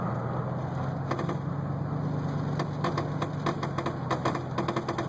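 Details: 2008 GMC Sierra 1500 4WD while driving: rapid irregular pops and clicks from the front end over low road hum; a bad wheel bearing is suspected.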